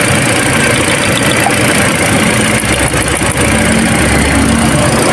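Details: Toyota Altis petrol engine that shook and lost power, after replacing the faulty number two ignition coil: idles smoothly and evenly with a steady low hum and no misfire stumble; spark plug was fine.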